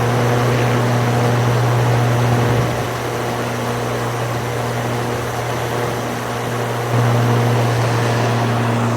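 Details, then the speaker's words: YardForce 48V electric riding lawn mower, heard standing right next to it: loud steady industrial-fan-like whoosh over a low hum with no engine beat; normal running, healthy. "as you're standing right next to the lawnmower it sounds like an industrial strength fan so really loud just fan noises not lawnmower noises as a traditional tractor or lawn mower would do"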